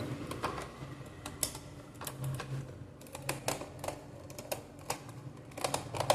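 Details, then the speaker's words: Toy military truck pulled along after disassembly, wheel repair and reassembly with small screws glued: irregular dry clicks and taps as one wheel does not turn and scrapes instead of rolling. "உங்களுக்கு சில வியர்டான sounds கேட்டுச்சுல friends. ஏன்னா இந்த wheel வந்து சுத்தமாக ஒர்க்கே ஆகலை."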